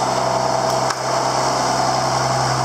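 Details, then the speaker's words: John Deere 7410 tractor just rebuilt (10–12 hour job), first run in park: steady low diesel drone with a constant even beat, no knocks or misses. Idling cleanly. "She runs."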